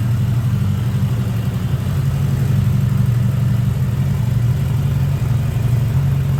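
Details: 1979 Honda GL1000 Gold Wing flat-four after valve seal replacement to cure excessive smoking; low, smooth burble at a steady warm idle with no knocks, misses or hunting; normal idle.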